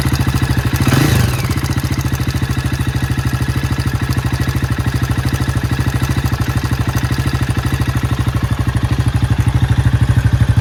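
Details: Low-mileage Jawa 42 with bend pipes running straight from engine to exhaust: busy idle with metallic clatter on every firing pulse, about three per second, above the exhaust; major engine noise, source unknown.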